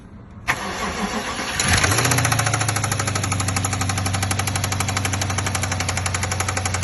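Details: BMW cold start: engine catches and settles into a fast cold idle with a steady light tapping about four per second; knock source undetermined.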